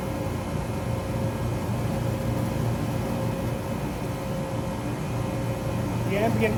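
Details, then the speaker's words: Taylor 8756 soft-serve machine frost test, two independent compressors, one per side, left side switched on in a warehouse at about 78–80°F: steady low mains-pitch hum with no knocking or rattling; compressors running normally. "We hear the compressor come on the left side too. This is a big machine with two plugs, two big compressors that each independently run each side of the machine."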